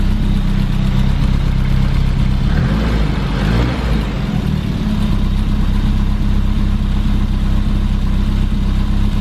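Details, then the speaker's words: 1988 BMW E30 M3 cold after sitting 6 months: loud, deep exhaust at a steady cold idle, even beat, no knocks or misses; normal cold idle. "It's got a really loud exhaust, but it sounds good."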